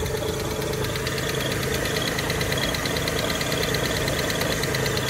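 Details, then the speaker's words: 2014 Chevrolet Silverado K1500 Z71 at an insurance auto auction, idling: even idle with a light, fast top-end ticking on top, cause unknown; engine tick at idle. "well it does have a little tick to it I don't like that"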